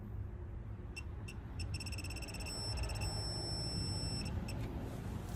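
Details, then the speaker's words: VCAN 3/8-inch digital torque wrench tightening a bolt: short high beeps speed up then merge into one steady tone as target torque (about 80) is reached. "once you hear that beeping, you want to slow down and then you can fully stop at that full beep. It's about 80 footbs."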